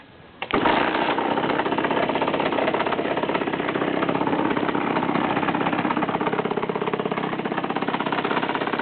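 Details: 50cc two-stroke motorcycle idling with a busy, uneven rattle that also occurs when engaging the clutch and riding at low revs; appeared a month after the crankshaft and clutch were replaced.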